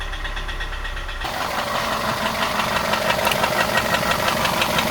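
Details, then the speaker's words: VW Passat wagon engine idling roughly with a heavy, regular knock about three per second; runs but not well; cause yet to be diagnosed. "In the next episodes, we will start with the obvious, the engine knock. Just listen how bad it sounds."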